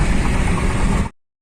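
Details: Maruti Suzuki SX4 petrol at idle after repair: a steady, even low rumble with no stumbles or misses. The earlier fluctuating RPM, jerking and poor pickup are solved.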